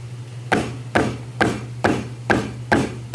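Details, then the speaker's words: JBL Eon615 speaker with strange internal noise: over a low steady hum, a sharp buzzy knock about two per second; cause was a loose driver vibrating the whole cabinet. "o drive solto vibrava toda a caixa"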